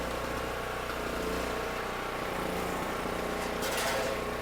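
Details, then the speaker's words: $50 Facebook Marketplace generator with 38 hours, bought as a non-runner, running with a drill press and light on 120 V: steady single-cylinder drone holding speed evenly, no hunting or misses; normal running under load, petcock suspected clogged, carburetor clean. "Light works. Well, it looks like the thing works perfectly."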